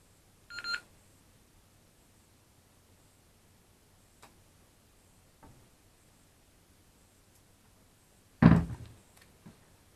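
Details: Retevis PMR radio after a DIY lithium-ion battery upgrade, battery fitted but not fully charged. One short high-pitched beep is the low-battery warning, followed by near silence and a handling thump.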